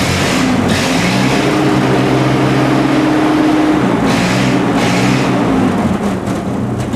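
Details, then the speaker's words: Vintage Ford tractor with cleaned, fine-tuned carburetor: even, strong high-speed engine note holding steady without flutter or surging; normal high-speed running. "On a high speed, I don't have any clutters. That sounds just great. That's a good cleaned fine-tuned carburetor."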